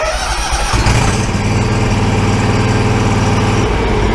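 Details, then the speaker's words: Exmark mower warm restart after a stall, with no choke, parking brake on, in neutral, throttle about halfway and blades off: brief cranking, then it catches at once and settles into a steady, even idle with no misses. A clean, normal warm start. "now I can start this machine it's a warm start this time so there's no choke"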